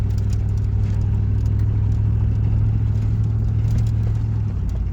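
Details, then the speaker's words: 1999 Chevy Silverado 1500 Z71 with automatic, broken frame, test drive around the block: deep steady drone dropping cleanly into third gear, no flare or slipping; shifts firm and normal. "Third. Okay. Actually shifted pretty good."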